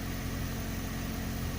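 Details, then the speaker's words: 2001 Opel Astra G, Z12XE 1.2 petrol, idling after EGR valve cleaning and coolant top-up, warming to bleed the system: a smooth, even low idle with steady rumble, no knocks, misses or hunting; EGR error still shown, engine healthy. "But the engine sounds really good for now. I will let them warm up a little bit just to make sure it all the system airated because I have put some coolant over to replace the one I've lost."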